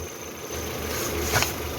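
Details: Citroen C4 2.0 petrol idling evenly with a steady low hum, no misfire stumble and no whistle, after replacing the membrane in the valve cover; normal idle.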